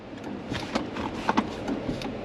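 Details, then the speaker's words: 2021 Dodge Durango R/T 5.7 HEMI V8, quiet cabin: sharp isolated clicks from down near the pedals each time the brake pedal is pressed, heard constantly in traffic; source unknown, driver guesses battery or brake light; clicking when brake pressed. "there's one other thing that bugs the crap out of me, which is the fact that, and I've noticed this before with Dodges, if you press the brake pedal, there's a click"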